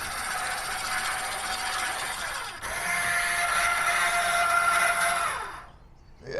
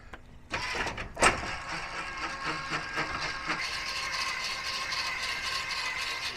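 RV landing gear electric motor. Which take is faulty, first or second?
first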